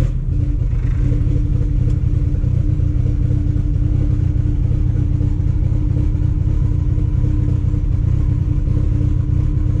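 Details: Car on a test drive around the block after CV axle and driveshaft repairs, light low-power driving: a steady low engine and road rumble with no rhythmic thumping. The driveshaft feels smooth with no vibration, so the driveline is normal.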